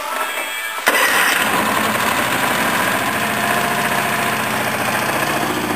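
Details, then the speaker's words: Honda 13 hp OHV tractor engine after repair: cranks briefly, catches at once and settles into a quick, even putter with no misses or surging; running perfectly. "Right, this is the Honda 13 horse overhead valve running perfect now."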